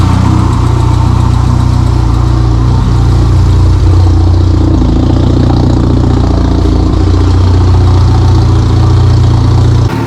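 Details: 2021 Honda Civic Type R, totaled and rebuilt with a rebuilt transmission, first start after the CV axle install: a loud, low, stumbling, lumpy idle that never settles, a misfire. The owner suspects mistiming, unconfirmed; the scan shows MAF sensor and PCM codes.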